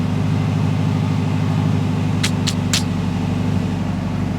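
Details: Mitsubishi Evo 8 restoration, idle just after first start-up after long storage with 85 PSI oil pressure: steady even low idle, no knocks or misses, a few light chirps in background; healthy.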